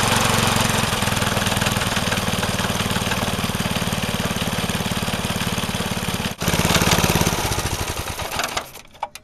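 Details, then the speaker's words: Vintage Craftsman 18" snowblower, rebuilt 3.5 hp Briggs single-cylinder, just cold-started: revved to full throttle the uneven, loping beat sags, wavers and wants to stall; owner suspects fuel starvation and a carb needing adjustment. "It seems like it's surging a little bit. Like, not surging, but if I go to rev this up all the way, it wants to stall out."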